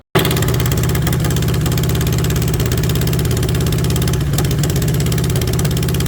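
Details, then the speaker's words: VW Beetle rat rod air-cooled engine at first start, fuel delivery trouble beforehand: catches and settles into busy, slightly uneven, wavering idle; carburetors still need adjusting, rough idle. "It ain't right, I can tell that."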